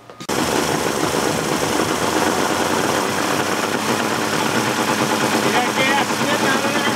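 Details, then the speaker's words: 1988 Mercury 70 hp inline three-cylinder two-stroke outboard, old, salty and abused, with carburetor problems. It catches and runs with a ragged, uneven buzz that never settles; gas shoots from a jet, so something is clogged in the carburetor. Rough running. "and if you look right there at that jet you're gonna see gas shoot out of there so something is all clogged up in that cabaret"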